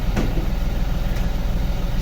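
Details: Chevrolet Beat diesel engine after overhaul, normal idle: a deep, even diesel idle with a smooth low throb and no knocking or uneven beats, sounding like a factory engine and healthy.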